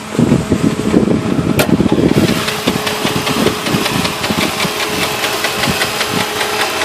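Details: Jeep Grand Cherokee at idle: irregular knocking and clatter over a rough idle, seeming to come from the front, mid to upper engine; owner considered the flexplate but doubts it, cause undetermined.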